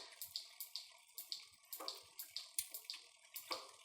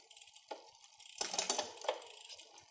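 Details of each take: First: Bicycle rear derailleur (Shimano/SRAM) deliberately taken out of adjustment, mic near drivetrain: light sharp metallic ticks about three a second as chain rubs cogs; not normal. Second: Bicycle rear derailleur after applying cable tension, shifting up the cassette: several crisp light clicks then quiet running; chain slotting cleanly into gears, well adjusted.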